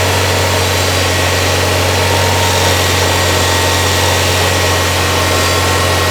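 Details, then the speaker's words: 1994 Toyota Celica with an intermittent battery light, idling with accessories on, AC off and blower on low: a thin, high whine coming and going over the engine hum, the alternator singing. "Singing. You hear that? You don't hear that pitch, that whine that's coming and going? That's the alternator. You hear that whine, Jake? That's your alternator singing."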